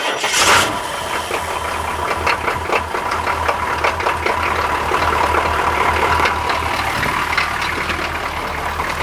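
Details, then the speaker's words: Camera under the starter: dragging, heavy, sluggish cranking with slow low pulses under a rough clatter; owner suspects the starter needs opening up or the batteries are weak. "Sounds real lethargic, huh? Pitiful. That sounds terrible. I think my starter needs to be opened up, or the batteries are weak."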